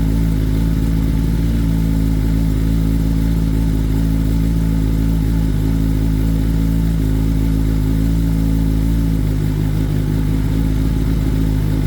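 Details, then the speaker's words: 2021 Kawasaki ZX10R (Gen 6) after oil change with an oil pressure warning, fixed by loosening the filter to bleed air and prime the pump: strong even low engine note with no rattle; running healthy with oil pressure restored. "now that's a night and day difference from when that bike wouldn't get no oil"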